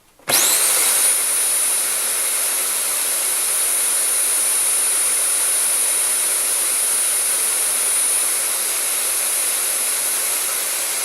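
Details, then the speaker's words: Rowenta Compact Power Cyclonic RO3786EA bagless vacuum, whistling began about 2 months after purchase; with HEPA filter swapped from an identical unit it runs with an even air rush and motor whine, no whistle. Clogged HEPA filter was the cause. "свиста нету включаем это который не свистел ну вот мы и выяснили причину все дела фильтре"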